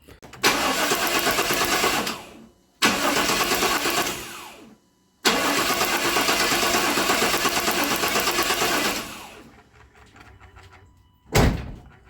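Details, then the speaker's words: Customer's truck, crank-no-start after another shop's work; spark confirmed: three two-second bursts of steady cranking that never catch; suspected ignition timing off from distributor installation, not yet confirmed. "I think the timing probably is just off. If they put the distributor in there and they got the timing off, tha"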